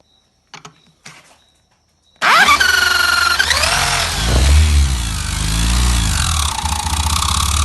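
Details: Yamaha XTZ 125 / YBR Factor 125 single-cylinder spun by a tool on the crankshaft: rough mechanical rattle over the note as speed rises and falls; internal noise, balancer and its bearing to be removed, source unconfirmed.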